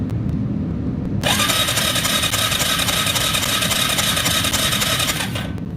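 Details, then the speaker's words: Yamaha Kodiak 450 ATV, fuel on reserve: fast steady cranking for several seconds that never fires; it has fuel and strong spark, cause unknown. "i see spark she's sparking so what the hell we have fuel and we have spark what the hell it doesn't make sense"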